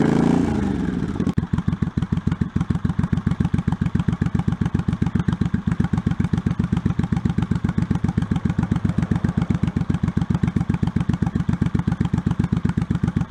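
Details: 1984 Honda Shadow VT700c V-twin, first startup after sitting over 7 years, carbs and fuel lines rebuilt, main tank off, started with starting fluid; rough catch then fast, even loping pulse firing steady and clean; running fine.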